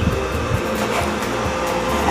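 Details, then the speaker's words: Lakoni 900 W welding machine, reported to power on but give no arc, being serviced: smooth steady cooling fan whir, no rattles or grinding; machine powers up and runs normally while voltages are checked. "saya itu khan untuk mesinnya dengerin ya udah hidup"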